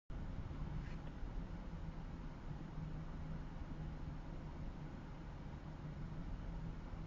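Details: Mazda 6s manual transmission at idle: low, muffled idle with an uneven, lumpy pulse instead of a smooth hum; rough idle.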